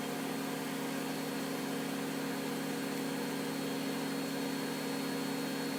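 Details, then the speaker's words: Miele W562 washing machine, extreme suds overdose test, final spin climbing slowly from 1,200 to 1,300 rpm: a smooth, constant high whir with a steady hum and no thumping, banging or grinding. Normal high-speed spin. "Nice mix of colors in there. 1,200 very slowly climbs."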